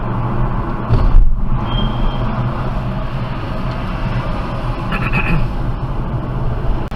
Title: BMW 428i convertible Brake squeal at low speeds